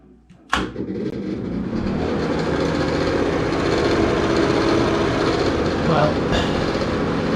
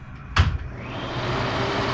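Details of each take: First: hey everybody welcome back to the channel today i'm going to be replacing that obnoxiously loud ceiling fan in my downstairs bathroom Second: Newly installed Broan bathroom exhaust fan replacing a loud old one: click, then a soft, even whoosh, much quieter, no rattle or grind.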